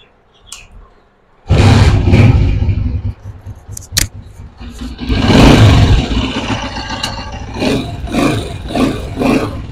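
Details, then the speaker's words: Honda CG125 single-cylinder motorcycle after tappet adjustment to fix engine noise: starts and revs smoothly with no ticking from the valve gear. "देख सकते हैं कितनी smoothly भाई की setting हो चुकी है"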